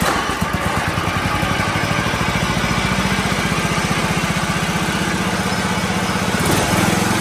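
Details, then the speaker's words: 1984 John Deere 111 lawn tractor after replacing fuel filter and fuel lines (bad gas suspected); small engine ticks over at a steady, even idle with regular firing, no misses: normal idle. "I'm not sure if I need to do a a car cleaning job of this thing rebuilt it so it sounds good I had to adjust the idle down it was on a fast idle but I think it just had bad gas a clogged fuel filter maybe a clock fuel line"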